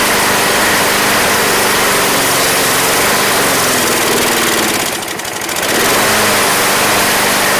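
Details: Craftsman Platinum lawn mower, Briggs 190cc single-cylinder, running after a no-start fix with a replacement carburetor: steady, even speed, brief dip around five seconds then clean recovery; gas was seen from the crankcase vent, otherwise runs smoothly.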